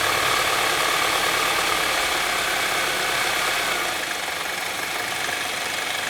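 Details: Saab 9-3 SportSedan near idle: faint, fairly even tick-knock, roughly three a second, under heavy hiss. Knocking noise, source unclear.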